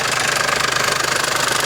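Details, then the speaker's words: Mercedes-Benz Sprinter OM651 diesel at idle: fast even metallic rattle ~17/s from vacuum pump drive, vanishes when brake booster hose removed; worn internal splines, chronic fault, pump needs replacing as assembly or drive lubrication jet can be enlarged temporarily; harmless. "к сожалению менять полностью вакуумный насос в сборе из-за того что внутренняя шлицевая у него изношены из за это такой звук проблем как таковых нету кроме звука и фона который переживают клиенты ничего страшного Абсолютно нет"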